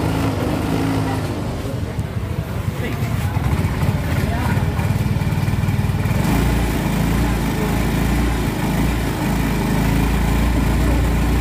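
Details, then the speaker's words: Yamaha Soul GT 125 scooter with throttle complaint: the engine stumbles and surges unevenly as the throttle opens and loses power, never pulling cleanly. Carb cleaner is used for cleaning. "Hai kawan-kawan pun bisa mendengar sendiri motornya itu digas tersendat-sendat dan Brebes"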